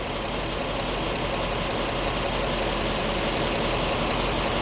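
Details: 1917 Cadillac convertible, 30-weight non-detergent oil, new battery, air-pump fuel pressure, just started cold: steady, even, soft smooth idle, no knocks or misses; running fine.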